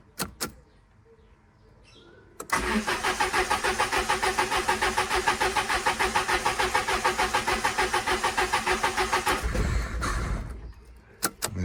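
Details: Peugeot 306 cabrio, 2000 (owner says 1998), no-start diagnosis: starter churns in steady beats, about three a second, for seven seconds; engine never catches.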